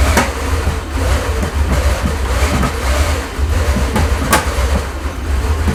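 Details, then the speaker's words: Rebuilt Porsche 928 V8 after capping distributor vacuum hoses; uneven lumpy thump sagging as if about to stall, won't idle on its own; rough idle, owner suspects the removed vacuum lines. "I'm not happy there and it's really struggling now isn't it"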